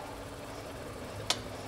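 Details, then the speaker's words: Mazda Atenza with a clunk when braking in reverse gear, car raised on a lift: a single sharp click-clunk cuts through a low steady drivetrain hum as the brake is applied; heard as coming from the steering knuckle area. "这个车的问题就是挂倒档踩刹车异响啊。"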